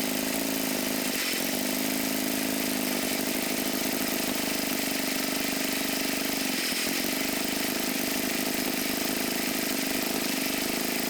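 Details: Abandoned MTD mower twin engine, new head gasket on one side, flooded, smoking oil: rough uneven firing with clear stumbles where it nearly dies; sputters and won't keep running because a sheared flywheel key knocked ignition timing off.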